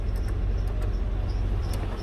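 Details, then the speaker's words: Two-door Chevrolet Tahoe at idle after A/C work: low steady rumble with faint irregular high chirps; squeak suspected from a belt pulley that owner hopes to service. "but we're fine yeah we're fine hopefully i can service that pulley by itself and it'll go away"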